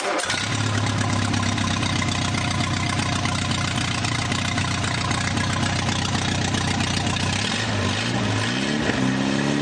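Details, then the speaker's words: Newly rebuilt 2.1L Triumph TR4A engine on its first run test with a small radiator and overflow pipe, known minor oil leaks: it starts and settles into a steady, even idle with no knocks or misses. Normal running. "But anyway, I'm going to fire it up, and we'll run it for a little bit, and this pipe will overflow as the water gets hot, and we'll just let it overflow, and we won't let it get overheated, and then we'll shut it down."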